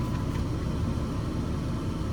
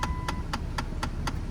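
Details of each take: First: 2008 Dodge Avenger after replacing the HVAC blend door actuator (part 68018109AA): steady low engine hum with the dash blower running, no more clicking from behind the dash; blend door actuator now working normally. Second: 2008 Dodge Avenger, engine running; sharp regular clicks about four per second over a low engine rumble from behind the glove box, HVAC blend door actuator clicking, fixed by replacing the actuator.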